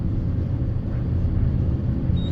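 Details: Alex & Sons hydraulic elevator, GAL JetPlus fixtures, serving floors B, 1 and 2: low heavy rumble with uneven throbbing as the car drops fast on descent; it runs rough, with harsh starts and stops.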